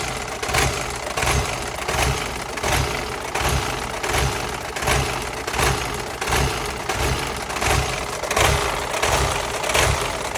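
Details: 2000 Volvo V40 petrol engine idling unevenly with a lumpy pulse about 1.4 times a second; OBD fault code P0102 pointed to the mass air flow sensor, and replacing it cured the rough idle.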